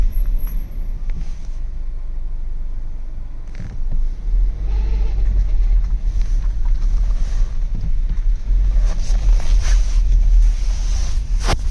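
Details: Golf Mk7.5 7-speed DSG (DQ200 dry clutch) pulling away in first gear: low, uneven driveline rumble, absent in second gear; abnormal first-gear gearbox noise, source not pinned down.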